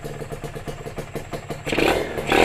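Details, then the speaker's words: Freshly overhauled Kawasaki RR two-stroke motorcycle after its first start. Crisp, even popping at idle, then a clean rise on the throttle; quiet, with a light, free-revving engine. Normal two-stroke running. "Senyap ni geng motor. Baru overhaul. Mesin pun ringan"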